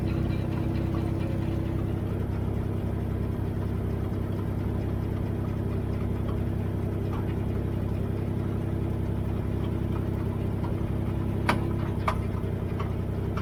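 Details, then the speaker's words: Dodge at idle: steady low engine hum with a couple of sharp clunks near the end; owner suspects the rear end is failing, not confirmed. "clunking located in rear end, rear end is going"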